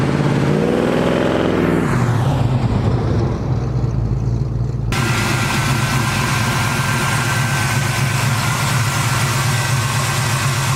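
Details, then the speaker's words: Chevy Nova stock 350 small-block with Vortec heads, LS6 springs, Comp retainers and Comp 280 Magnum cam (.230 at .050, .480 lift) after cam swap: deep, choppy rumble idling and revving cleanly in drive-bys; normal running. "here's a couple video clips for you me doing a couple drive-bys for you today to see what it sounds like and showing it idling and stuff"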